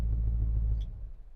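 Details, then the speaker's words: Old Ford F-150 dentside truck warmed to operating temperature after retiming and a gear-reduction starter fix for a no-restart-when-warm problem. Deep, even V8 burble at idle that then dies away: normal warm idle. "she's not running hot or anything but she's warmed up she's at operating temp and I don't know if you can hear it or not CU it's running"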